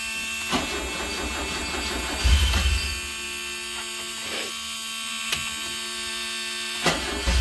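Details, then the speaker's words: 1974 Alfa Romeo Spider Veloce, 10K original miles, stored 30 years, fuel pump just repaired, unstarted for a couple of weeks: brief cranking bursts, then catches and runs evenly without stumbling; normal start. "Not bad. It hasn't started for a couple of weeks. Kind of started right up for the most part."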